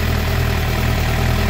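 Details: Suzuki GSX-R750 motorcycle at 2,069 km, misfiring, after replacing original spark plugs with new iridium plugs: steady, even low rumble with no stumbles or skipped beats; smooth healthy idle, fault resolved.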